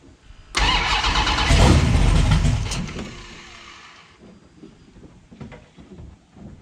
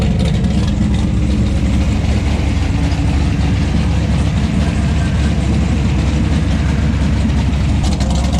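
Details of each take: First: 1970 Plymouth Barracuda, newly installed 400-block 512 big-block stroker with Trick Flow 240 heads, cam, intake and new headers: catches with a roar, then the revs sag unevenly and it won't idle. Owner suspects a vacuum leak. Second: 1970 Plymouth Barracuda with a freshly built 400-block 512 big-block stroker (Trick Flow 240 heads, cam, intake), after initially refusing to idle: a deep, loping idle holding steady on its own with no stumbles. Still needs some tuning.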